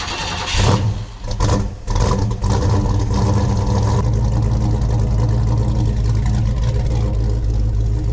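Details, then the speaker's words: 1961 Ford Falcon, 302 5.0L V8, FiTech EFI, aluminum heads, headers, started the day after exhaust repair: cranks, catches with blips, deep steady idle, slight header ticking, quiet engine bay, no exhaust leak chuffing; normal start. "everything sounds pretty good you're going to hear a little ticking sounds because that's just because of headers but up here in the engine bay sounds pretty quiet"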